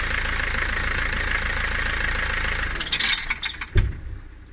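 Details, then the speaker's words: Peugeot 307, noise present since purchase, when releasing the clutch to pull away: steady idle with low rattle, then burst of irregular clunks and a thump as clutch takes up. "Este ruido lo hacía el coche desde que lo compré."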